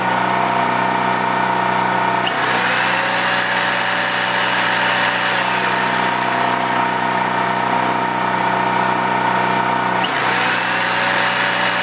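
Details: Used Champion C46540 generator after tune-up (cleaning, oil change, new spark plug, oiled air filter): smooth constant drone, steady pitch with only brief governor dips; normal running.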